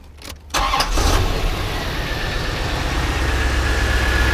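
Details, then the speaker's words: 1992 Chevrolet Corvette V8 just after exhaust repair and new catalytic converters (one was clogged), mic nearby: brief crank, then lumpy uneven idle beat, clear misfire; O2 sensor issues noted earlier. "put my mic next to it absolutely absolutely a misfire no question about it"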